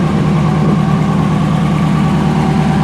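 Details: 1991 Pontiac Firebird Formula WS-6 with replacement Jasper V8 (about 32K miles), Edelbrock TBI intake, stainless headers, Dynomax exhaust: steady, even low rumble with smooth unbroken beat, no knocks or misses; healthy idle.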